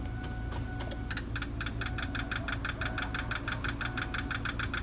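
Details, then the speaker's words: Hard-starting vehicle, key on with all injectors plugged in for a buzz test: a quiet hum, then a run of even, rapid injector clicks; only cylinders three and five seem to be buzzing; cause not confirmed. "what it sounded like was that number three and number five are the only ones buzzing"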